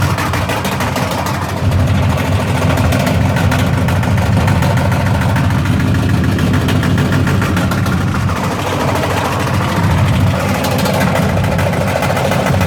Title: My Washing Machine Making a loud banging noise.